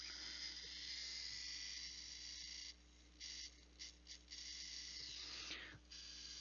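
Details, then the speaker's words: Intel NUC5i7RYH brushless blower fan (BSB05505HP), dying, partly disassembled: harsh high-pitched buzzing chatter without grinding, which stops when the fan is touched ever so slightly. "still making that noise without grinding but if i very ever so slightly touch it the sound goes away"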